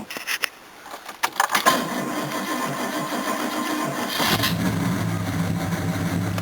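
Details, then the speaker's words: Engine on a new battery with a 40-year-old cable from a Series 1 XJ6: a few clicks, then steady, even cranking for about two seconds before the engine starts and settles into a smooth idle. "Ooh, it actually turns now. Consistently. Alright, let's start the bugger."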